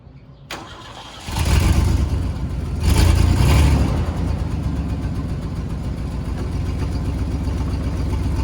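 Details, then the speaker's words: 1955 Ford F100 lifted 4x4 parts truck, stick shift, sat outside for months: cranks briefly, fires right up on first turn, blips once, settles into steady even low rumble at idle; normal start and idle. "so i am so excited it actually ran and drove very well fired right up"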